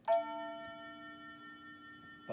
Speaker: it doesn't slam it down hard enough but overall this is a really nice clock